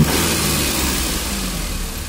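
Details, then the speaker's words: Maruti Suzuki Alto 800, 117,000 km, engine losing pickup when running; revs with an uneven labouring drone that sags and never climbs cleanly, not taking throttle, hesitation with cause not confirmed. "अब हम गाड़ी start करते हैं तो वड़े काफी ज्यादा latest होती है यहां पर देखिए जो एक्सीलेटर है बिल्कुल भी नहीं लेगी गाड़ी"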